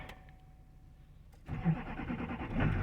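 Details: 2005 Chevy 2500 one-ton dump truck, Duramax diesel, cold start after waiting for glow plugs on a cool fall day: brief crank, catches fast and settles into a rough, steady clatter; healthy cold start.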